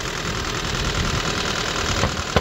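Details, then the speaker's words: Auction car with a shaking engine, run after connecting the battery; owner suspects the seller hid this fault: a rough idle with a rapid, uneven knock over the engine note. Engine knocking at idle, internal damage likely. "you can hear the sound from engine engine B let me show you this is this scam I'll show you the corporate knows about this problem because when you connect the battery you can hear this sound"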